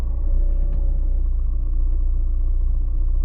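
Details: VAZ 2110 manual gearbox with a steady deep droning hum in fourth gear that stops when the clutch is pressed; it persists even after replacing all gearbox bearings, seals, differential satellites and the release bearing. Cause unknown.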